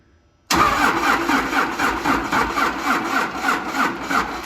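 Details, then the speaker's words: 1953 Mack A40 swapped to a 24-valve 5.9 Cummins diesel from a school bus, key-on first start attempt: starter cranks sluggishly and unevenly, about four compressions a second, never catches; slow cranking, likely dead old battery, charger and jump pack next. "just not quite enough all right let's see what the battery charger"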